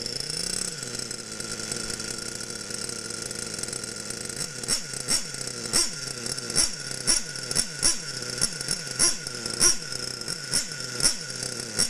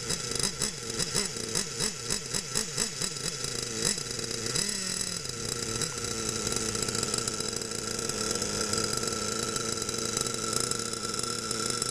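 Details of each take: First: Losi Aftershock nitro RC engine, warmed up, being tuned by leaning the needle: small high-pitched engine ticks over at a steady idle with an even, light rhythmic pulse; idling normally, shuts off cleanly. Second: Losi Aftershock nitro RC engine buzzes and stumbles on throttle blips, then holds steady high idle; still bogging from a rich mixture after 1/8-turn leaning steps, so leaning one more 1/8 turn.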